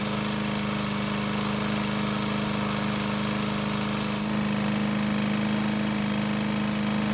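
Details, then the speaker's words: Worn free pickup walk-behind mower, single-cylinder engine test-run with flywheel brake bypassed by zip tie; started after a couple of pulls, steady high-pitched drone faster than normal speed, engine sounds tired. "So, it took a couple of pulls to start it, which isn't too bad. And although it sounded okay, you can tell the engine is a bit tired."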